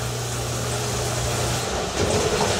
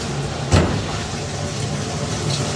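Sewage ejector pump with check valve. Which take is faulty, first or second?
second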